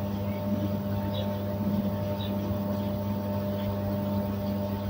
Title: Noisy ballast